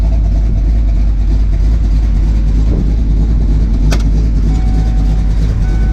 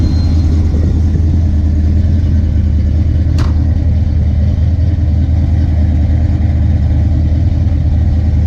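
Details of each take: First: Ford Fox-body Mustang LX V8 with big cam, after fixing idle surge: deep, choppy idle with uneven lope, holding steady without hunting or surging; normal lopey idle, timing believed slightly low. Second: Ford Mustang Fox-body V8 with a big cam: deep, lumpy idle rising and falling instead of settling; surging idle; TPS also adjusted.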